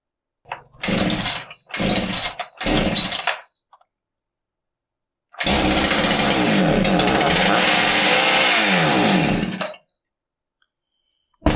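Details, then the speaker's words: Husqvarna 395XP chainsaw starts but won't idle: three brief sputters, then a wandering, surging run for four seconds before it dies. It sounds starved for fuel or like an air leak, ignition not ruled out; the finding is lean running from an intake air leak. "It starts, but it won't idle. It kind of sounded like it was starving for fuel or an air leak."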